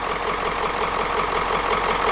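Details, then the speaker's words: Ford E350 4x4 van with a swapped 7.3 diesel on first start after the glow plugs were used: even, steady diesel clatter at idle with no misses or knocks, a healthy running engine. "Yeah, that doesn't sound too bad. Almost sounds like a dirty old freaking 7.3."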